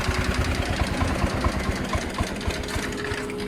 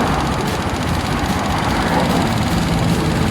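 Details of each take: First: Honda Click 125i scooter, hard to start with poor, stumbling acceleration: uneven putter of about 220 beats a minute that stumbles and nearly dies mid-clip, then picks up. Fuel starvation from low fuel pressure. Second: Honda Click 125i scooter after replacing the fuel pump motor to cure hard starting and poor acceleration, pressure now above 350; steady, even smooth low rumble with no misses or surging. Normal running.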